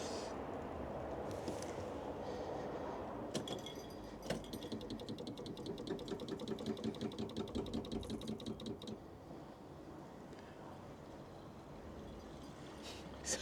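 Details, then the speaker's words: MG Midget waking from winter storage, fuel weeping from a copper pipe: faint, rapid, regular ticking rising and falling as the electric fuel pump kicks in and out bringing fuel up to pressure. "So, yeah, cuz the fuel pump's kicking in and out."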